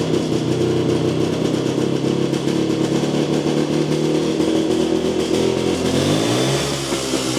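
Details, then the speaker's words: Jawa 250 two-stroke after engine rebuild following heavy smoking post-dyno, first start; uneven burbling with wandering, sagging revs, still some smoke, hesitates on throttle; carburetor seems out of adjustment. "Usampikin kommentoi, että ei kuulosta olevan säädössä ja itsekin oon kyllä samaa mieltä, että se vähän oli semmonen se kaassuk painot ja tolla, niin se ei lähtenyt sille niinun saman tien vaan se vähän niinku epäröi aina"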